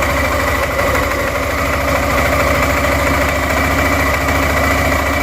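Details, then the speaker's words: Suzuki Burgman 400 scooter at even idle, before or during its CVT clutch upgrade: a fast, faint flutter slaps over the engine note, the model's well-known CVT belt slap. "Oh, the famous belt slap of the 400."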